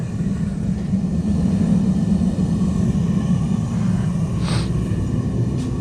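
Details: Blacksmithing forge gas burner running after the tank valve was reset to stop sputtering: a deep, even roar with no sputtering or surging, burning cleanly.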